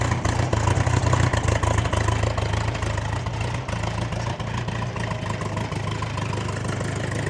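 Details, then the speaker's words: Bombardier Bombi with Holley Sniper 1100 fuel injection, after exhaust manifold crack fix, open loop, throttle slightly raised: deep idle with uneven hunting beat, rising and falling a few times a second. Loping idle; cause unknown, owner considering coil; engine stalls shortly after. "But so far, it's sounding really good. Give it up a little bit. So it's still kind of loping a little bit."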